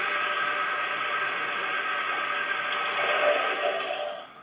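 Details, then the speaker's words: Toilet cistern refilling with a steady hiss for about four seconds, then shutting off; a tiny, silent continuous trickle past the flush valve seal, possibly from sand grains or limescale, triggers intermittent refills. "Voilà. La cuve s'est rechargée, s'est arrêtée. Pourquoi ça fait ça? Parce que le filet d'eau qui coule sur le joint de chasse, il est infime."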